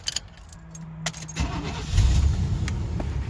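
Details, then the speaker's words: 1987 Chevy R10 Suburban starting and running: loud, raspy low puffing that ticks with firing, sounding like rod knock when driving; very big exhaust manifold/header leak. "So, it has a very big exhaust leak. Listen to that. It sounds like a rod knock when you're driving."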